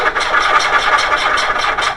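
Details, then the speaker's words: 1.8L VW A2 cranking a little slow with no spark; intermittent stalling history, possibly temperature-sensitive; crank no-start from a failed distributor Hall sensor, tested with a known-good sensor. "it's cranking a little slow but you see no spark"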